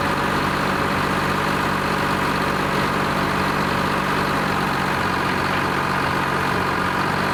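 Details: Lima 34 shovel at its first start-up after repairs, before greasing and digging: dense, even diesel clatter at a steady idle with a deep low drone and no misses or knocks; healthy engine.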